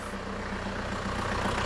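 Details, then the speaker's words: 2002 Renault Master 2.2 dCi with an intermittent crank-no-start, just restarted after fitting genuine pump parts and new heater plugs, air box off and low fuel: steady, even diesel tick-over with consistent clatter, idling normally while checked for leaks. "Right, what I'm going to do, I just want to leave this running. I want to make sure there's no leaks in the system."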